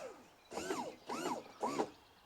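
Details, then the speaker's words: 1976 StarCraft boat, Mercruiser 120 hp, new SEI trim pump and lift cylinders after 15–20 up/down cycles: three short squeaky, sliding whistles half a second apart; trapped air still bleeding from the trim cylinders while the pump sounds better. "now pump sounds much better once you get all that air out hear that little sound there that was a little more air getting out of there"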